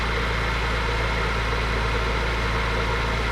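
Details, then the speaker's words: BMW E46 M3 found overfilled with oil, first start after an oil change, jump-pack assisted: steady idle with a loose rattly chatter about three pulses a second, seeming to loosen up; suspected accessory noise, cause unconfirmed; smoky, no misfires. "it's an accessory i think [Applause] sounds like it's loosening up whatever the accessory is"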